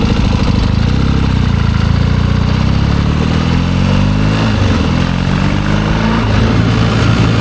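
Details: 1972 Triumph Bonneville 650 twin, revived after sitting roughly ten years; ridden with wet tires, its strong, even beat pulls smoothly as revs rise and fall, with no misfire or popping. It runs good.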